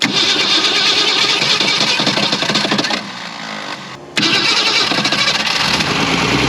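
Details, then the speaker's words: 1961 Ford Falcon wagon parked in woods 38 years, found with no oil; first start, ragged roar sagging and recatching, needs wide open throttle; owner suspects intake full of debris. Oil pressure good. Hard starting. "I had to like hold it wide open throttle like it it's getting too much uh once that intake's full of stuff or something that was weird"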